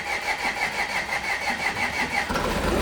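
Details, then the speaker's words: 2014 Audi S5 supercharged V6, possibly weak battery: engine catches roughly, runs lumpy with no steady idle, sounding low on compression, then stalls. "Oo, sounds kind of low on compression."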